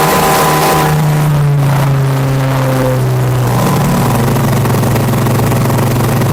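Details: Honda Vario scooter, about 1400 rpm idle on a diagnostic scanner. At wide-open throttle the revs climb, then sag back instead of holding: hesitation from a faulty throttle position sensor, which was later replaced.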